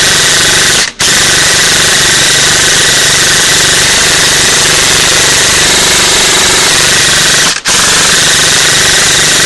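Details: Echo1 Troy airsoft gearbox after installing a 16:1 speed gear set, reshimmed to one shim, stock motor, brick LiPo: a fast, even full-auto buzz with no high pitch. Normal cycling in a stress test, with only modest warmth afterward.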